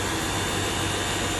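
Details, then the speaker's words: Small pressure washer after repairing a fault where it sprayed and then cut out. Now the motor whirs steadily with an even spray hiss, stronger than before, and the hose no longer jerks; a two-minute run shows no hiccup or surging. "แรงกว่าเดิมครับสายไม่สั่นแล้วนะครับถ้าไม่แรงสายมันกระตุกกระตุกครับ"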